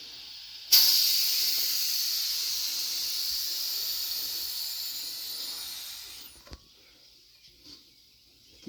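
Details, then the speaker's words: Tire being inflated on a wheel whose bead was cleaned with a wire brush, with compressor air too low to seat it: a steady loud hiss for about five seconds, then it stops. Air is leaking around the tire bead. "hear it leaking all the way around the bead which I cleaned it with wire brush but it might need some better cleaning for Le around right there"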